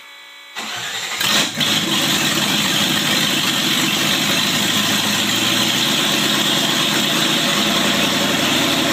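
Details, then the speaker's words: 1995 Range Rover Classic LWB now on MSD Digital 6A ignition with stock coil and open headers: cranks briefly, catches and settles into a steady, even raspy rumble; normal start and idle. "Yes, it does run off of that because if you notice there's only 2 wires to it, so this car is actually running off the MSD Digital 6A."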